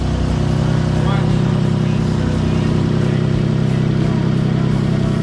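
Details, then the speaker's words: Car idling in a garage after an oil change: steady idle with a sharp puffing tick three or four times a second. Exhaust leak low at the flex pipe, not at the manifold. "well i found where that exhaust leak is let's turn it on see it's low it is low at the flex pipe right in front of the flux"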